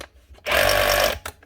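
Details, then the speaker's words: Tool number 2 still works but its motor runs way too fast, a short shrill whir spinning up far too high, possibly dangerous to the motor. Judged not worth fixing, as the whole motor would need replacing; overspeed cause unconfirmed. "It's actually running that fast, probably a bit dangerous. That could break something in the motor when it's running that speed."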